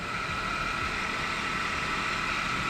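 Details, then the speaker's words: Jeep JK idling during thermostat replacement and coolant flush for overheating; steady thin high-pitched whine over the engine, water pump pulley checked, owner almost positive it is a worn idler pulley. "Also, you hear that whining sound. Now that I've checked my pulley on my water pump, I'm almost positive that's my idler pulley."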